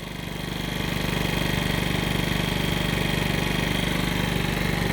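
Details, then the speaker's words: 50cc two-stroke scooter after a low-compression fix: a used cylinder and piston with rings from a scooter reportedly with about 3,800 miles were fitted and the carburetor retuned. It now runs and takes throttle, with an even, quick putter that builds smoothly without misfires. Normal running. "clearly this thing is running now it's taking throttle i re-tuned the carburetor seems to be taking throttle feels like it"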